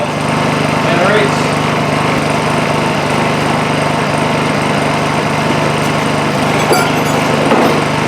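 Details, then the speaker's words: Honda EU2000i inverter generator after replacing a completely clogged muffler that stopped it running: steady, even hum that picks up speed under a drill load, no stumbling. Normal running under load. "as you can hear it pick up uh throttle up a little bit under the load of the drill not bad that's that's not bad at"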